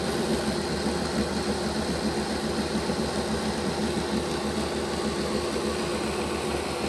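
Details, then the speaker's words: Bachmann Dash 9 model locomotive rear motor block, engine reversed on test: constant coarse growling buzz with fast rough flutter, more of a growl than the front block; motor misaligned, poor contact with the strips inside the block housing. "While the motor block didn't stop, the sound was prevalent, and you could hear that it was making more of a growling sound than what the front motor block was making."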